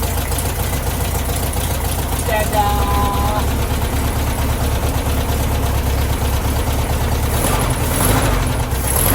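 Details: 1969 VW Beetle first start in 33 years after cleaning points, rebuilding carburetor and rigging fuel system: catches, brief squeal, then lumpy but steady low idle.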